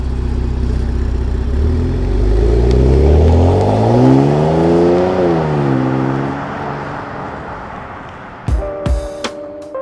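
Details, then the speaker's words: 2018 Porsche Macan S after spark plug replacement and ignition coil reinstallation (a new plug was damaged, old plug earlier used and ran fine): single smooth rev rising and easing back, even with no stumble or misfire; normal engine revving. "so you threw in an old spark plug and it ran just fine yep perfectly fine and let's hear what it sounds like today"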